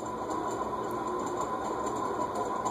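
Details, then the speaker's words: Circa-1991 cast-iron Heat Recovery Systems L-356 ceiling fan, previously locked up and freed with WD40, on medium-high: dry rasp and hiss with faint ticks about twice a second from the dry, dirty top bearing; wet bearing noise from the bottom. "dry and dirty bearing noise you're hearing there see is that the top bearing or the bottom bearing that's the top the wet bearing noise is coming from the bottom bearing but the dry bearing noise is coming from the top"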